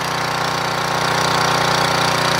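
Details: Portable gas generator with a Tecumseh engine after the new carburetor was fitted and adjusted: busy, even rattle at constant speed with no hunting or misses, output above 120 V; normal running.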